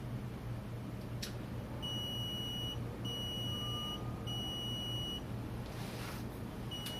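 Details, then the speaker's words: RockeTiltometer ignition controller started with a simulated missing data card: four long, steady high beeps, each nearly a second, in a quiet room, the error tone that replaces the angle tones and locks the system until the card is fixed. "instead of getting those angle tones that you heard before we're getting an error message that says that the data card's bad and the system's locked up"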